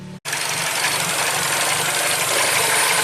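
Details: 2012 Mini Cooper, N16 naturally aspirated engine, 113,000 miles, with an intermittent crank no-start and no codes. After a brief drop-out it catches and settles into an even, steady idle with light valvetrain ticking and no misfire.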